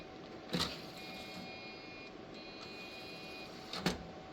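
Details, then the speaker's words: Old $10 floppy-era desktop computer (being tried for Windows 95 gaming) powered on after fitting an HDMI/DVI video adapter: two short rattling bursts with a faint high electronic whine between them; unusual startup noise, cause unclear. "I certainly don't remember any of these making weird noises like that."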